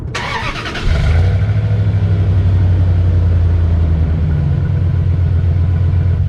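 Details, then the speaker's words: 2001 Dodge Dakota 4.7 L V8 with stock muffler, before muffler delete: starts and settles into smooth quiet low burble, soft rise on throttle; barely audible from the cab, clutch fan audible on revs. Normal exhaust. "Yeah, so that is completely pathetic. I mean, it just barely whispers. I don't know what it sounded like out here, but from inside the cab, I mean, you just barely hear it."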